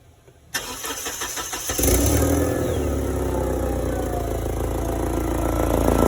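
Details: Forklift engine: cranks, catches and settles into a fast idle with a puffing, chuffing edge to each beat, pointing to a leaking exhaust. Cause suspected, not confirmed.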